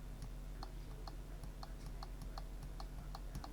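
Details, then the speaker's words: Eufy Robovac 11 roller brush motor, believed to be 12 V, run from a bench power supply at 6 V. It makes sharp, even clicks about four times a second but never turns; the motor is stalled and the brush is stuck. "Now I can hear the motor clicking,"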